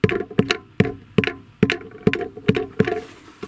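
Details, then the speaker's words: Car with a knock heard clearly in the cabin, like a nut rolling inside the muffler: tapping the underbody gives hollow knocks with a short rattling tail; a ballpoint pen was found loose inside a body box. "стук проявляется как вроде бы как какая-нибудь гаечка катается по глушителю вроде как внутри глушителя но он отчетливых салоне этот звук очень четко слышно в салоне"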